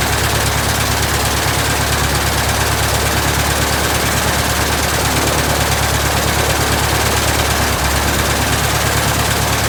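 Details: 1967 Citabria restoration, first start: steady, even firing pulses at low idle, about two per second, no misses or knocks; normal idle.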